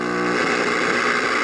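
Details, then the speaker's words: 1951 Northern Electric Baby Champ tube radio, ultra probe held near the oscillator coil: steady even rushing hiss with faint low hum, indicator lit, showing the oscillator section is running normally though no audio reaches the speaker at full volume. "And you see the indicator come on. So that right there tells me that the oscillator is running. So I know that the oscillator section in this radio is working."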